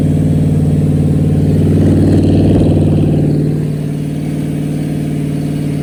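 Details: Rebuilt small-block Chevy V8 on a motor stand during its second break-in, after the lifters were pulled and the cam inspected: it revs up, then eases back to a steady, even idle with no knocking or misfire; the engine sounds healthy.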